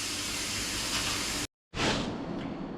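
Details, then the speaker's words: 1964 VW Beetle wheel, inner tube fitted in leaking tubeless rim: steady airy hiss while pumping, then brief gush; trapped air escaping between tube and tyre as bead seats, no real leak. "now if you can hear air leaking out that's actually air that's trapped between the tire and the inner tube so you think it's actually leaking but it's not it's just the air"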